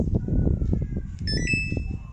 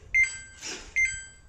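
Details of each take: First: Samsung top-loader washing machine after replacing the IC on its control board to fix IE/OE error: short multi-tone start chime over a low pulsing background, no repeating error beeps afterwards. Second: Samsung top-loader washing machine: two quick high-pitched beep pairs about a second apart, the alert for an IE/OE water-level error; this time the fault is on the main control board rather than the pressure sensor.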